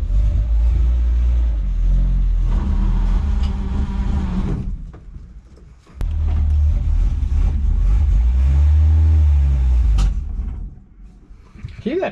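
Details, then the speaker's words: 1963 Ford Falcon Ranchero ute, abandoned for years in a wrecking yard, first start: engine revs up then sags and nearly stalls twice as throttle opens, stumbling lean; owner suspects vacuum leak or blocked carburetor idle circuit. "that's sort of telling me leaning out um maybe maybe a vacuum leak or maybe just the idle circuit is really blocked"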